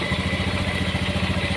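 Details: Honda Beat FI scooter idling with battery disconnected for regulator voltage test: steady, even single-cylinder putter, no misses or knocks; charging normal at 13–14 V, not overcharging; fault found in the battery.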